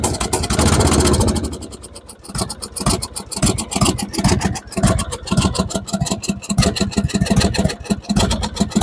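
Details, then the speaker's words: Lawn tractor with freshly rebuilt single-cylinder engine, new battery, starter and plugs, jump-started with a booster: putter swells and sags every second or two; idle hunting, owner will tighten the accelerator rod, which keeps jumping. "Bon, le moteur a démarré, il tourne bien. Encore un petit peu des problèmes au niveau du ralenti."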